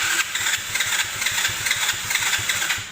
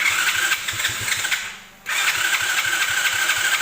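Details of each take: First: Abandoned Chinese 125cc automatic quad bike with new carburettor on manual choke, old fuel drained, oil dirty: quick cranking pulses pick up into uneven firing that catches and keeps running; normal start, carb may still need adjusting. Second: Chinese 125cc automatic quad with a newly fitted carburettor, choke on and old fuel drained. Two bursts of steady fast cranking with an even chuff, catching hints but not running; owner thinks the carb needs adjusting: cranks but won't start.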